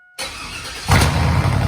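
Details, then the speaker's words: 2002 Chevy Tahoe bought cheap, exhaust running without mufflers: engine fires and jumps to a loud, deep, raw, undamped rumble; excessively loud exhaust, runs okay otherwise. "does y'all it is so loud I've got to get some Mufflers put on this thing it's ridiculous but hey at least it runs"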